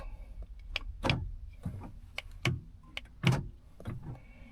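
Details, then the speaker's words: 2010 Honda Odyssey door lock actuator, lock pressed with the door closed: quiet short whirring clunks with each press but no solid latch thunk; it tries but does not move. The failing actuator also re-cycles the locks at every stop. "You see it's trying but it's not moving. That's locked. Tried but it's not moving."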